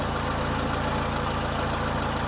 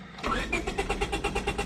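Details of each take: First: 2000 Honda Civic 1.6L SOHC after replacing the whole distributor (old cap cracked, moisture inside), during water test: steady, even idle with smooth low hum, no misses or stumbles; fixed. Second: 2000 Honda Civic 1.6L SOHC, cold and wet, after engine died: steady cranking at about eight pulses a second without catching; moisture inside a cracked distributor cap kills spark.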